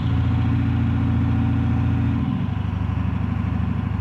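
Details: 7.3 PowerStroke diesel floored, blowing blue smoke: loud clatter turns rough and uneven at about three to four pulses a second, misfire under acceleration.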